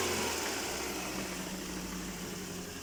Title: 8 Мотор стучит